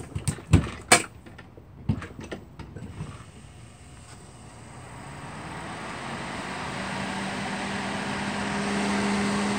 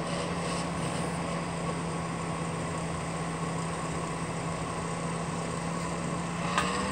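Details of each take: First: Duracraft (Honeywell) Heat Furnace Plus CZ-1200 space heater, test run after the heating element repair: a few clicks, then a smooth fan hum builds to a steady even tone with no rubbing or rattle. The fan runs normally. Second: Duracraft Heat Furnace Plus CZ-1200 space heater after soldering repair on the heating elements: fan motor gives a steady, rough droning whir with a constant low hum; bushings suspected worn. Fan motor noise.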